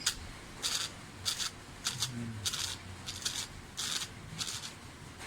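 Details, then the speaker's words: Toyota Corolla small body speedometer gauge on the bench before repair, cable turned gently by hand. The owner also reports an erratic needle. Dry scraping bursts about every half second, a gritty catch inside the mechanism. "Yan mga sir, testing natin mga sir, yung speedometer kung talagang maingay. Yan, rinig yung mga sir, maingay nga siya."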